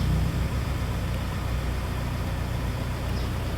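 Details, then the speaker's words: Suzuki APV at warm operating temperature with A/C on, camera at the open window outside: steady low idle rumble with no belt squeal or chirp; the owner notes the bird-like squeal returns when temperature drops slightly. "Wala wala na tayong naririnig na ingay doon sa ating sasakyan. Pag nandoon sa ganung temperature yung sasakyan natin hindi magingayung."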